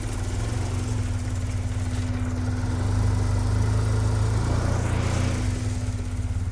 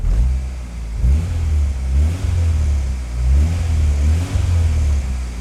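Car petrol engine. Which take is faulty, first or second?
first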